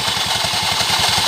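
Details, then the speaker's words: Scooter CVT with cover removed, engine idling: rough, gritty rasp over a steady idle pulse of about eight beats a second; drive belt edge rubbing, fixed by touching coarse wood sandpaper to it. "sekali ya itu adalah suara panbell"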